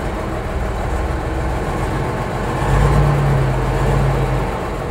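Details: REO 5-tonne military truck diesel idling after engine overhaul and injection pump work: a deep, steady rumble, even with a slight swell midway, no knocks or misses. Normal, healthy idle.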